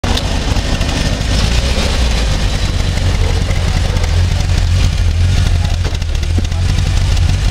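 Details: Fiat 125p engine idling rough: a deep, uneven, lumpy and stumbling beat with no steady rhythm; cause not evident.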